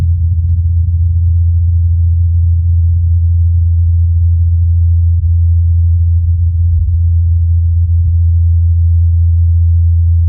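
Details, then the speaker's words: NASA Ingenuity helicopter on Mars, fourth flight, rotor sound recorded by the Perseverance rover's microphone: a steady, even low hum at one pitch with no knocks or wavering. The blades are spinning normally. "incredibly during the helicopter's fourth flight perseverance recorded the humming of the blades the team at nasa put together this next short segment"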